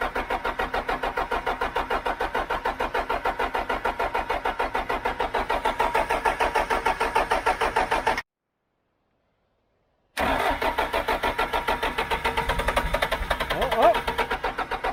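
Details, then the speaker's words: John Deere 310G backhoe diesel, first start after a part long on order was fitted, white smoke: fires and chugs at about three beats a second, dies, then catches roughly without settling; won't stay running. More primer pumping planned; cause unconfirmed. "Man, that sounds like it wants to. Wow. Hey. Hey. Come on, baby. Come on, baby. Stay running. Ah! Oh, Lord."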